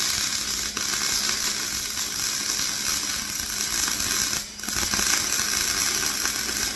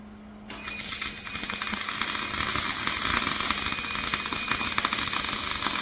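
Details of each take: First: MIG welding a flatbed for a 2006 short box Ford F-250 after turning wire speed up: steady, crisp crackling sizzle with brief breaks; wire feed and arc well matched, much better, normal weld. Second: MIG welding a flatbed for a 2006 short box Ford F-250: harsh, uneven spitting crackle with irregular popping; wire feed speed too slow, later turned up.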